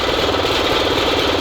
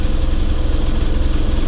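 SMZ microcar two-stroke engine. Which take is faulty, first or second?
second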